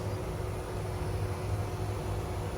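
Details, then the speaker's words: 2013 Lexus CT200h after spark plug replacement, which fixed a rattling noise worse in the morning and a check engine light: soft, even low hum with no rattle, ticks or stumbles; engine now running smoothly. "yep that's the car after i change the spark plug that's how it runs"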